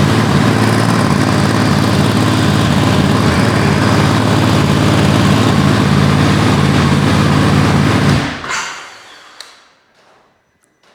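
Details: Ducati Desert X twin after a service with oil change, air filter refit and Arrow decat exhaust, just started in neutral: steady even idle with a firm low pulse for about eight seconds, then switched off and winding down; healthy.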